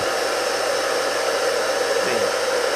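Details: Rebuilt single-phase 2 HP (2CV) high-voltage motor running unloaded on the bench after start-up: steady airy whir at constant pitch, no grinding, knocking or hum changes; running cleanly.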